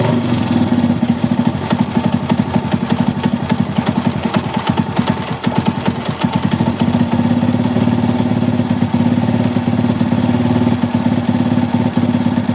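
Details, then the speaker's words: Single-cylinder carbureted motorcycle (Titan) idling steady and even after replacing a failed crankshaft bearing that caused a strange engine noise; no knock or rumble, running healthy. "tá solucionado agora é só dar uma lavada aí dar uma higienizada no motor por fora e tá pronto era só o rolamento do vira"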